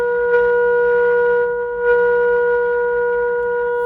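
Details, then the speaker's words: Arvin 257T tube radio during alignment, oscillator trimmer A4 adjusted with signal generator: clean steady tone about 450 Hz through speaker, strong and undistorted; set peaked, normal alignment peak tone. "Okay, good. I better screw that in. So you can hear that peak."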